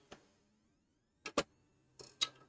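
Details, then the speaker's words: Original Xbox disc drive on eject gives sharp mechanical clunks and clicks but the tray never opens; drive is trying to open, caused by a worn drive belt needing replacement. "can hear that clunk that is actually meaning that it is trying to open"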